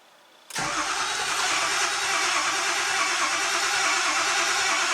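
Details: Engine cranked with a data log running, watching fuel pressure and ICP: steady, even churn of about three beats a second that never catches; long crank, no start, cause not confirmed.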